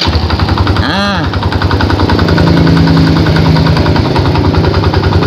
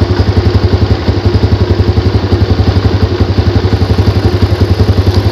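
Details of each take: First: Yamaha Jupiter Z idling: steady, rapid dak-dak knock about three per second, heard from the right side, gone at quarter throttle; worn starter one-way clutch. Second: Yamaha Jupiter Z after repair: even, steady idle with no ticking, staying calm whether revved or not. The "dak dak dak" knock came from the starter one-way clutch on the magneto rotor, fixed by replacing three rollers.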